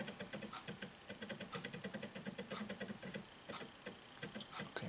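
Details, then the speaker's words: Samsung BD-JM57C Blu-ray player reading an MP3 music CD: quick, uneven ticking and soft whirring as the laser pickup rapidly reads all the tracks; normal disc reading. "Todo eso, lo que se escucha es el láser que está leyendo rápidamente todas las canciones."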